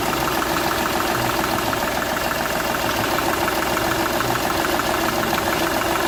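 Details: Seat Ibiza 1.2 TDI at idle: regular puffing tick about three a second, uneven beat; compression leaking from cylinder 1 past the injector seal, which shows a burnt section.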